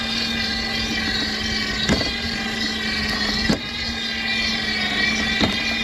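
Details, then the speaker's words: Dolphin S300i pool cleaner after impeller cleaning: steady motor whir with a sharp click every couple of seconds as the drive belt skips teeth; gears not skipping, tightening the belt stops it, tracks may be worn. "i think that belt something's wrong with the belt i think it's got to be [Music] gears aren't skipping it sounds like it's up here if i do that make it tighter it goes away"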